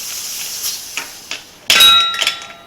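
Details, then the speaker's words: Spoke-wheel motorcycle tyre and tube replacement: over the hiss of inflating air, one sharp metallic boing rings out and fades as the tyre bead seats on the rim. "And you know the bead seat because you'll hear the boing."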